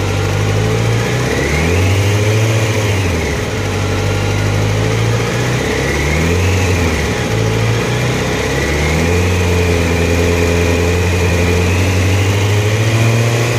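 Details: Hunting idle: engine speed keeps swinging up and down every few seconds, the note rising and sagging unevenly.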